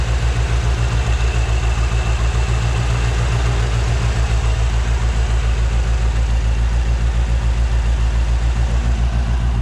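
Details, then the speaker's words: 1957 Chevrolet 210, frame-off restored, 283 V8, about 16,000 miles since build, warmed up: deep even idle pulsing about 3.5 times a second, no knocking or ticking; normal idle. "If you listen to the engine, again, no knocking, no ticking, just hums as it should."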